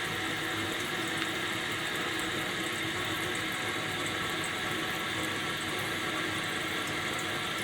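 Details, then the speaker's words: Kohler toilet with canister fill valve, after turning the adjustment screw to stop constant running and flushing to check; steady hiss and rush of water refilling the tank with no squeal or chatter, fill valve refilling normally. "now we're going to wait here for the water to rise and it should stop at the proper water level so let's just see if the adjustment was correct"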